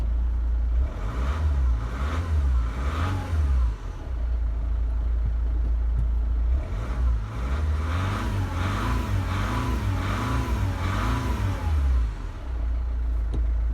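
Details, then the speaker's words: Diesel Chrysler PT Cruiser CRD heard with the windows down while driving: a deep, smooth diesel drone rising and falling through the gears, with no knocking or rattling. The owner says it has been running really well. Normal running. "I love this car. I love this car, I love the way it sounds, I love the way it drives, and I love the attention she gets."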